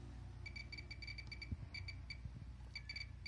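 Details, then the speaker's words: Pripyat RKS 20.03 dosimeter with beta filter fitted, gamma source brought close: crisp, irregular clicks in quick clusters, several per second, readings rising; counter detecting pure gamma properly. "Это чистую гамму считает прибор. Показания растут. Щелчки. Отчетливо слышно. Все отлично."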